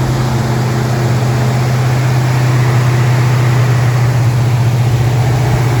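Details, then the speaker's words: Ford Mustang Mach 1 V8 after a distributor fix, where a too-long screw shorted the vacuum advance and made it die when warm: deep, steady idle with an even beat and no stumble. Normal idle. "sounds good sounds really good"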